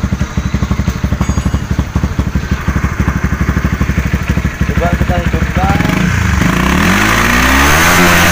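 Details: Honda CB150R, no MIL code, stumbling at low and high rpm: choppy uneven pulsing at low revs breaking up when revved, misfire as fuel pump pressure sags from 30 to 20 under throttle; tank to be inspected and cleaned.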